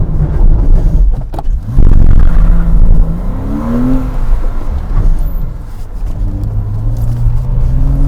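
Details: 2007 Porsche Cayman flat-six, full-throttle autosolo run at Goodwood after an earlier Variocam-related misfire was repaired and now runs well: revs rise cleanly and evenly through the gears with no hesitation or popping; healthy engine under hard acceleration.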